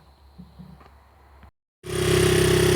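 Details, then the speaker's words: 1992 Honda XR80R after a top-end rebuild with new rings (the old oil rings were burning oil): a fast, steady buzzing high idle for break-in, running even with no rattle and no smoke. "here there idling away it's had a high idle now cuz it's doing a Breakin period uh no smoke at all coming"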